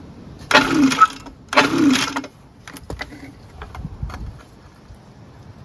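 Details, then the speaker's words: Echo ES-250 handheld leaf blower/mulcher on a cold 26° day, hydrolocked with oil that was partly drained: two quick, raspy starter-cord pulls, very easy with no compression, plus a scraping note. Cause unclear. "all right now it pulls see if it starts up it's like easier to pull now that oil in there it's really easy to pull with no compression"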